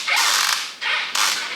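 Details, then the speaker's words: Phoenix 2400 FPV plane, new build, control surface swept: three high-pitched dry creaks, one per sweep; stiff, creaky hinges that the owner thinks need a little oil. "Very creaky those hinges, I must say."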